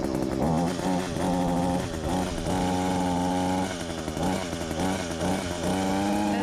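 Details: Small two-stroke hedge trimmer after its nearly empty gearbox was repacked with grease to fix metal-on-metal grinding. It buzzes and revs between blips with a clean tone and no gear-head grinding. Normal running after repair.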